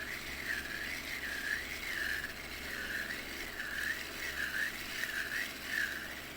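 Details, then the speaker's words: Mail King 1000-series fishing reel, long used and often wet with seawater, now stiff to reel: reedy whistling squeal rising and falling with each handle turn; owner suspects dirt/rust and worn bearings, planning cleaning and replacing two bearings. "yan mga Master so meron siyang tunog sa loob no na ah sa tingin ko parang ito talaga yung dapat nating ah linisan at ah palitan ng mga parte"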